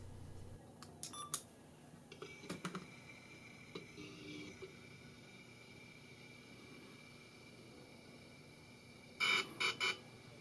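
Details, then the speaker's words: DJI Osmo with Zenmuse X5 gimbal fitted on a modified handle, at power-on: scattered clicks, then four short high beeps signalling a firmware upgrade is needed or initializing. The firmware update kept failing at about 40% with the X5 installed. "Now, you may hear the beeps from the Osmo indicating that a firmware upgrade is needed or initializing."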